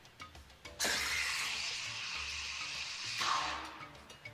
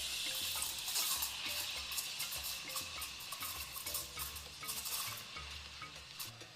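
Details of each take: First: Espresso steam wand in a jug of milk heated earlier: shrill squealing hiss for about two seconds; the milk screams because it is being reheated, an unhappy milk sound. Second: Espresso steam wand texturing milk, tip about ½ cm below surface, jug angled so milk spins: steady hiss with soft slurping ticks as air is drawn in; normal texturing, target 60–65 °C.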